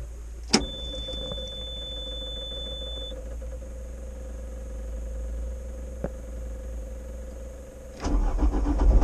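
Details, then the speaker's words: CAT 304 CR excavator after fixing an intermittent starter fault caused by wiring: click, thin tone for a few seconds, then diesel catches and settles into steady, even low rumble; starts and runs fine. "we've got the excavator back up and running a wiring problem all sorted"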